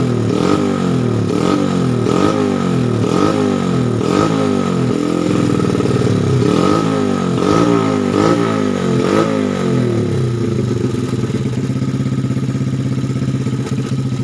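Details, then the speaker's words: Honda Supra Fit single-cylinder after rebuilding a worn, oil-starved camshaft and replacing piston rings: repeated clean throttle blips, then a settled even idle, no clatter. Normal revving. "kita ini ya suaranya ya, ini punya lancar, ini suaranya ya lumayan halus ya. Kita gas dulu."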